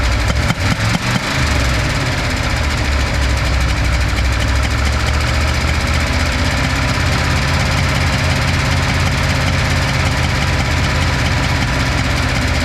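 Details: V8 restarted after compression test with plugs and wires reinstalled, backfiring issue still present: uneven low thumps as it catches, then lumpy, loping idle with irregular pulses; misfiring and running rough, cause not yet confirmed.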